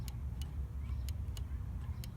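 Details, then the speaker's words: 1991 VW Vanagon 2.1 L water boxer, throttle body switch on the intake manifold. Sharp single clicks as the throttle leaves idle and another at full throttle, over a low rumble. The switch is correctly adjusted. "there's the one click and then there's the other click then go back and click click again"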